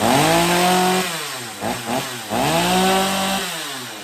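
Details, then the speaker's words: Stihl MS250 two-stroke chainsaw, cold start on a freezing morning after carb tuning, chain and bar refitted (complaint: won't restart once warm): revs up crisply, drops back to idle and blips cleanly again with no bogging or stumbling, a normal cold start. "so yeah let's give this thing a little test run right now cold start"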